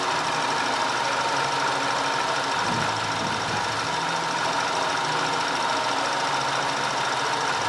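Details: 2010 Audi A5 2.0 TFSI Cabriolet after repair of random and constant cylinder 4 misfire (P0300, P0304, P130A): constant, even idle with no stumbles, dropouts or uneven beats; engine running cleanly.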